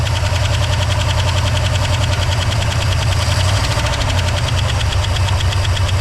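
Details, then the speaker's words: 1964 Oldsmobile 98 four-door hardtop V8, likely off the road about a decade, start after sitting: engine sits at a fast, steady high idle on its own and won't settle down; spark heard escaping, smells like an arc welder. "this thing wants to high idle itself which is uh"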